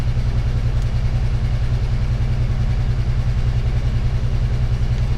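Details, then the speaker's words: 1998 Ford Ranger 3.0 (swapped engine), before repair: steady idle stuck at about 1200 rpm, roughly 500 rpm above the commanded speed, with the idle air solenoid fully closed; high idle from unmetered air entering through a hole. "all right see the idol Aris illinoid already dropped to zero it's trying to bring the RPM down but it can and so RPM is at 1200"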